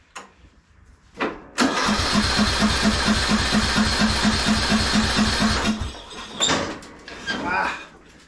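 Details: 1998 MTD Yard Machines 15.5hp lawn tractor on a new battery, with carb spray and choke on: about four seconds of even starter cranking with steady compression pulses, never catching. There is no spark from a dead ignition coil, and the plug was wet, suggesting flooding.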